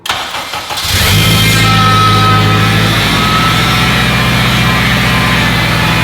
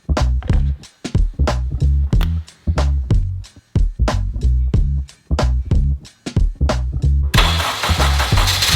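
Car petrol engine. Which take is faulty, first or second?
first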